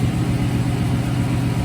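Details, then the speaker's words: 2018 Chevrolet Silverado 1500 5.3L V8 first start after the 6L80E transmission was removed and a billet torque converter fitted; check engine light on: catches at once and settles into a smooth, even low rumble, no knocks or rattles; normal idle. "We do have a check engine light, but fire it up. Sounds good. I don't hear any weird issues."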